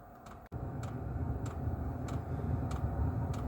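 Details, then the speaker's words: Diesel air heater at startup after about a minute of glow plug warm-up: sharp, rapid evenly spaced ticks of the diesel fuel pump priming over a rising low rumble, normal after not being run this year, before the fan roars. "Then you'll hear a ticking noise start, which is the diesel pump from the back of the machine there. There you go, that's ticking quite rapidly. This machine hasn't been started this year, so that was ticking quite rapidly to get the diesel flowing."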